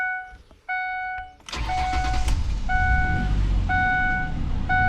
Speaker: All right, I'm gonna start it up real quick. We're gonna check for leaks under it, or if it knocks.